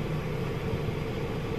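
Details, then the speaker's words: 2002 Toyota Soluna GLi, manual, over 18 years old, idling with AC on and blowing cold: even steady rumble with no knocks or misses; engine smooth and healthy. "kita coba aslinya ac-nya dingin ya"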